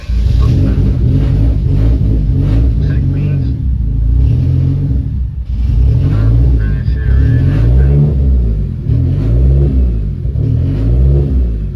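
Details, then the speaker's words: Hyundai Genesis Coupe, 30 psi boost setup, plugs re-gapped to 0.013 and untuned base map loaded: high idle hunting wub-wub about every second and a half, swinging 1500–2000 rpm; needs idle tuning. "So it's pretty high right now, right? 15 and 20s? Yeah. It jumps, okay. It goes wub, wub, wub, and in between it's going 15 to 20, 15 to 20."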